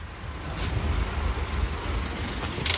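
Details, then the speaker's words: Maruti Suzuki Ertiga petrol with engine timing problem, towed in, check engine light on: at idle heavy vibration, lots of missing, raspy "khar khar" engine noise; lumpy uneven idle, stalls when accelerator released; misfire from timing problem. "দেখুন গাড়ি আইডেলিং এ এখন আছে। কিন্তু গাড়ি প্রচুর vibration করছে। প্রচুর missing করছে। আর সাউন্ড শুনে ইঞ্জিনের। খার খার করে সাউন্ড আছে।"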